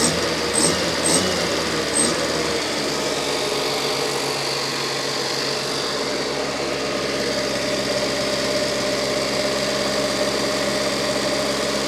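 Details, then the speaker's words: Fiat 600 engine running with an unresolved oil leak seal and a suspect oil pressure relief valve: steady, even, light buzzy run with no knocks or misses; normal running, sounds healthy. "But it sounds quite healthy."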